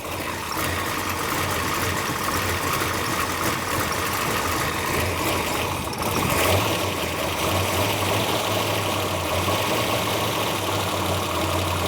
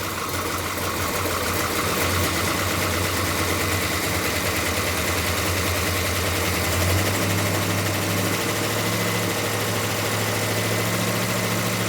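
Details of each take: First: Plymouth Duster race car with a new big-block V8 and 6-pack setup, first start of the fresh build at about 60 psi oil pressure, timing not yet set: rough-ish idle with light, fast tapping from the top end; rockers are a little noisy. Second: Plymouth Duster racecar with new big-block engine, running without throttle cable, timing still slightly high and needing tuning: loud, steady, smooth note at about 2,000–2,100 rpm, no knocks or misses, oil pressure about 60 psi; normal running at raised idle.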